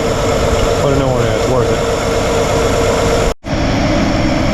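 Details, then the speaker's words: 1955 Chevrolet 210 revived after sitting many years, vacuum advance not working, warmed up: idle has a slightly uneven, wavering beat instead of a smooth rhythm; unsteady idle, to be tuned with the carburettor mixture screw. "all right she's warmed up and got a little bit of a unsteady uh idle so I'm going to turn the mixture screw in or out"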